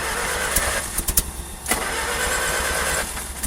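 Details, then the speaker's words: Old carbureted engine in freezing cold, leaking water pump: coughs and catches in ragged bursts, stumbling and fading; hard cold start from poor fuel vaporization, remedied by blowing heat-gun hot air into carburetor, then runs much better. "now we blow that we blow the hot air directly into the carburetor that helps the fuel vaporization"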